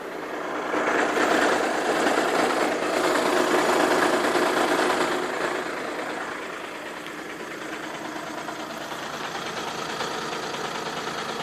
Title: Strange noise passat cc 2.0 tdi dsg 2012